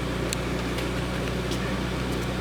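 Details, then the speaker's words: 2009 BMW E90 328i xDrive, about 197,000 miles, cold start: lumpy rough idle with RPM jumping and check engine light; misfires cold and under load, gone when warm; DISA valve code, DISA valve replacement planned. "I'm gonna show you guys how it sounds when we close start it so I'm putting the keys you can see the RPM is jumping up and down as a check engine light"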